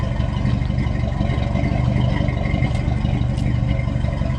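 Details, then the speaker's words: 1970 Dodge D100 V8 after cam swap with DLC lifters, during cam break-in after timing set: deep, steady burble at idle with an even exhaust pulse, no ticking or knocking; normal idle. "But it is so good to hear this this thing crank up and run good and to hear the exhaust again."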